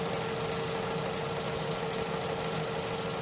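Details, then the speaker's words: Opel/Vauxhall Astra J 1.4 after new spark plug and ignition coil for a cylinder 1 misfire: steady, even idle hum with constant mid tone, no stumble or skip; cylinder 1 misfire count now zero, history only. "Vedem dacă mai dă la te să vedem la cilindrul un unde era buba. Zero. Ăsta e history și a avut, dar acuma e zero."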